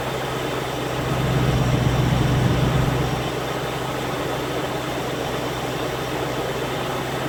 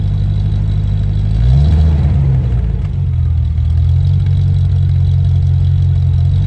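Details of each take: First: Land Rover Discovery 1 3.9 V8, first start after about 18 months standing, oil pump primed first: fires up almost straight away and idles with a steady, even low rumble, warming until both hoses are hot; normal idle. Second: Land Rover Discovery 1 3.9 V8, first start in about 18 months: a deep, booming idle with a loud open drone and a brief blip, far louder than stock. The centre silencer pipe is missing.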